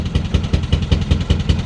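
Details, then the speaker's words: Narrowboat diesel engine, believed to be running on only two cylinders, thuds out an even pop-pop about five times a second as air puffs back out of the air intake; cause suspected, not confirmed. "you hear that pop pop pop right that's air coming out of the air intake"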